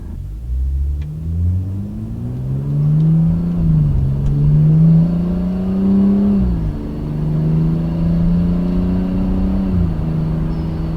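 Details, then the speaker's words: 2015 BMW M235i, warm, in sport mode under acceleration after fitting new hot-side and cold-side charge pipes to cure a boost leak from the hot-side pipe: engine note climbs smoothly through several pulls, turbo sound back with no hiss or flutter; normal turbo spool. "yeah turbo sound sound the turbo sound is so much better i'm definitely loving the sounds of what it's creating especially since it used to make these sounds and it stopped and now it's sounding really good"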